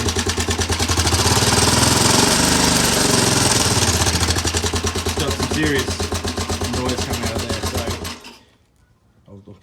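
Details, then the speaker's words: Honda CT110 postie bike on a temporary replacement carburettor, cam chain already adjusted: small single runs rough with a sharp regular knock about three times a second until it stalls; cause not pinned down. "It's stalled, but it's got a knock in it. So in my experience, that it could be a few things that it's a little bit noisy."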